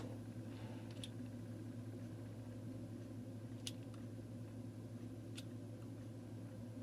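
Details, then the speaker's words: Sears variable plug-in timer, model 796.66400 (Intermatic D111 type), after repairing disintegrated main drive gear and adjusting contact point: quiet steady hum with faint ticks; timer motor running normally. "and that's how it should behave right there that should work no problem"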